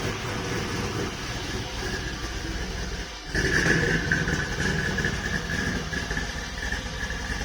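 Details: Volvo 240GLE with LS2 V8 swap, turbo project, full single 3-inch exhaust fitted, wideband disconnected: after a noisy few seconds V8 catches and settles into deep, loud, slightly lumpy but steady idle; normal idle.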